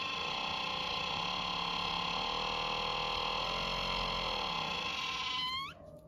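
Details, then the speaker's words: Sharper Image massage gun: loud steady high-pitched squeal at any speed setting, sweeping up and dying as it stops, from internal friction of dry rubbing parts. "we have this uh Sharper Image massage gun that we got from Costco um works really well only problem is is it's kind of [Music] squeaky no matter what you do with the speed doesn't"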